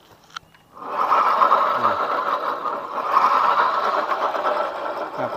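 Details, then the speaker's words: Honda Vario 125 FI scooter, rear wheel spun by hand: rough, gravelly whirring growl (ngorok) traced not to the wheel bearing but to worn bearings in the final-drive housing behind the rear pulley; disassembled for replacement. "Jadi bukan di laher rodanya ya yang bermasalah bukanlah roda tapi di laher Ok"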